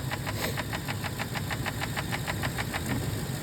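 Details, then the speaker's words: 6.2L engine: quick, even, light ticking over smooth idle, sounding like a lifter; failing valves in the intake manifold. "it's these little valves in the intake manifold and when they go bad they sound just like a a a rod or not a rod knock a lifter"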